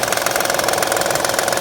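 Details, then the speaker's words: 2009 Honda Pilot 3.5 L at idle, timing cover removed: fast, even ticking knock about ten a second locked to engine speed, from a bad timing belt tensioner jumping around; owner feared a bearing problem, engine not shot. "They took the timing cover off, and you can see the tensioner jumping around real bad."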